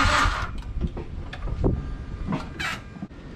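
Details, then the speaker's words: Mazdaspeed6 after programming a new PCM and two keys without the dealer: uneven cranking with a dull low churn and an odd half-hearted puff every few revolutions, like it wants to kick but is a half step off; cranks, no start, cause unclear. "now it's getting like every few revolutions it's doing like a so it like almost sounds like it wants to kick, but it's like a half step off."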